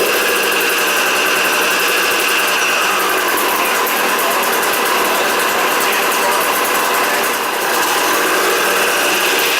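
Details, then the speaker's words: Freshly rebuilt KTM 200 two-stroke started after a few kicks, first run after engine reinstalled: crisp, busy crackle revving freely and holding steady, no knocks or rattles; rings bedded from kicking, normal running. "Oh, she's angry. Well, the rings are bedded, you've done that. Yeah. Just from kicking."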